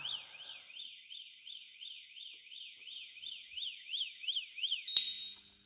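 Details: Kawasaki ZX-12R with about 2,366 miles, sitting for years, powered straight from the battery connectors on a 3°C day: high warbling siren sweeping up and down about three times a second, then cut off; alarm sounding on power-up.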